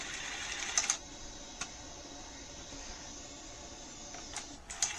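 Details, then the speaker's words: NEC SuperBeta HiFi VCR VC-N65EU, after oil was cleaned off the slipping cassette housing belt: a soft motor whirr and sharp clicks as the cassette is drawn in properly. It then unthreads because the loading-cycle switch isn't engaging. "let's go ahead and push in the cassette and you'll notice that it's now taking in the"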